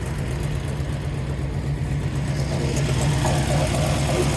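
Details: 1956 Ford Fairlane, 312 V8 with dual quads, rebuilt Carter carbs, headers to dual exhaust exiting the bumper, C4 automatic. Deep, steady idle burble loping about four pulses a second, no ticking or knocking, healthy.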